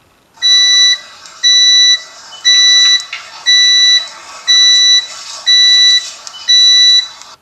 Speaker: saya akan memutar nada beip yang biasa kita dengar dari meteran PLN saya sudah merekam suara Bajar tersebut yang bunyinya seperti ini